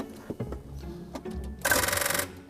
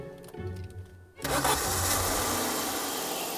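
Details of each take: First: Alfa Romeo 164 with intermittent crank: after moving the starter solenoid wire, brief half-second whirring crank that never catches, no spark; disturbed main starter lead feeding the coil packs was the poor connection, crank no start. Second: Alfa Romeo 164 with intermittent crank/no-crank, after disturbing the starter's main lead feeding the coil packs: brief crank, then it catches cleanly and settles into a steady, even idle.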